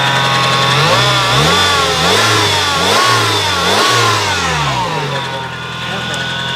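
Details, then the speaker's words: 1996 Nissan 2.4 after a no-spark no-start fix with coil replaced: engine catches and revs up and down, pitch rising and falling, running somewhat ragged because it is heavily flooded from cranking. "this engine is going to be very flooded and so it's not going to start right away it's going to run horribly"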